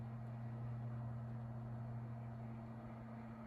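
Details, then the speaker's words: Tatung 12-inch LC-12 oscillating fan, likely 1980s: quiet steady low hum, even tone, almost no vibration, no rattle; runs smoothly and well balanced. "if you just eliminated that that whirring noise that i'm talking about it would be near silent but if there is going to be a motor sound i would prefer it to be that one there's low there's really no vibration in the fan either"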